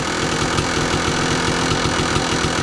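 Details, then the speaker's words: 2002 Kawasaki KDX 200 two-stroke, low hours, even steady burble at idle on a wet, rainy day; the KIPS exhaust valve doesn't rattle yet, which wear after 100-200 hours would cause; healthy normal idle. "this one doesn't rattle yet so you know it's low allly"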